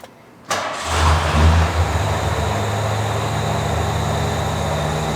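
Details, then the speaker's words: 1986 Ford F-150, well maintained, that had a no-spark no-start, just fitted with an MSD distributor, coil and wires: cranks briefly on the second try, catches and settles into a steady, even idle with no misses or knocks. "all right two times the charm all right starts up great"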